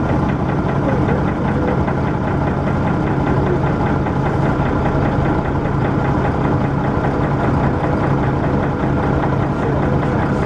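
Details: First Manchester Dennis Arrow bus 31923 (P423PVW), recorded 11 June 2012: loud steady diesel rumble with fast even knock throughout and heavy thrash; knock cause unclear.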